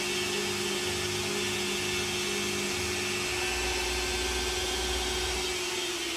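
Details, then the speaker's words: CNC lathe controlled by Mach 3, turning a small bevel gear: a steady motor whine over cutting hiss shifts pitch as the spindle speeds up for the next section; the cut runs smoothly and leaves a nice surface finish. "You should hear the motor speed up in a moment as it gets to this section."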